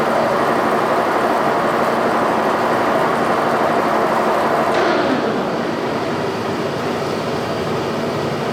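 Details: G&L facing head on a 340T boring mill, spindle runout checked under less than half a thousandth after a simple fix: steady even rotating whir, smooth regular beat, no knocking or rubbing; spindle bearings fine, facing head running true.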